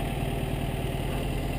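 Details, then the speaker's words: 1952 MG TD, engine rebuilt about seven or eight years ago: it starts right up and settles to an even, steady low idle with a soft regular pulse and no knocks or misses; a healthy four-cylinder that never has trouble starting. "starts right up this car never has any trouble starting runs very good"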